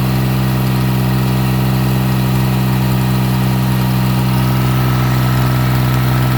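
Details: Yanmar YM1610 diesel tractor (1979-1981, 942 hours), after about 10 years sitting, idling: steady, even diesel idle with a firm low chug about three beats a second, no knocks or misses; healthy.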